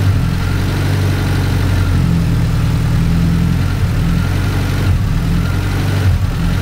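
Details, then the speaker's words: Cushman kei mini truck small engine after rebuild with original oil ring, oil burning off the manifold: steady low idle drone with brief dips and surges; suspected too much ignition timing, timing to be pulled and carburetor idle air screw adjusted. "sounds like it's got a little too much timing in it so we need to pull some timing out 12 millimeter wrench and then set the idle"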